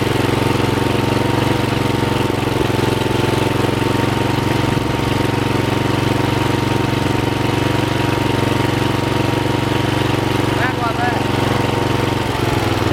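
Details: Rebuilt Troy-Bilt mower after new piston rings (old ring gaps nearly three times spec), with a brand-new carburetor and fresh oil, before fine carb adjustment. Steady, even single-cylinder beat at fast idle with no knocks or misses; normal running.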